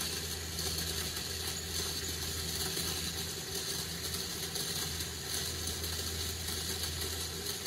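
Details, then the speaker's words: Nearly new 2020 Ford F-250 fuel pump assembly, truck at a few thousand miles, bench-tested at 12 V drawing about 4.3 A while clearing air bubbles; steady, soft, smooth hum. Truck had extended cranking after sitting overnight, and a check valve leak is suspected. Pump runs normally. "pretty quiet"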